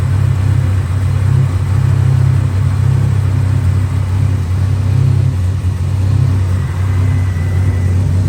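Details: 1987 Buick Grand National turbo, one owner, 32,000 miles, abandoned 12–13 years, running on new plugs, fresh gas and filter: deep, uneven, lumpy rich idle; pulling the vacuum line killed it and a drop of gas came out, so owner suspects a leaking fuel pressure regulator.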